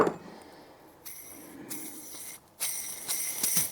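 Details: CFMOTO clutch bearing removed and spun by hand gives a dry, gritty metallic rattle in short bursts: worn out, linked to hard shifting and clutch-area noises.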